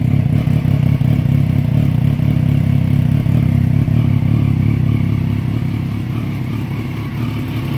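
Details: 2011 Triumph Daytona 675R after replacing the blown 15 A headlight fuse that caused the no-start, not the starter relay: steady, deep, even idle with a smooth low rumble, no knocks or misses; healthy normal idle.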